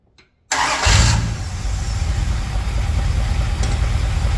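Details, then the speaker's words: 1978 Dodge D200 big block 400 V8, 727 automatic, 100,000 miles, after reseal and correcting distributor firing order: quick crank and catch, then even idle running on all 8, though a weird little funky sound remains; tune still needs adjusting. "Runs great. Still makes that weird little funky sound for some reason. Yeah, it's running on all 8."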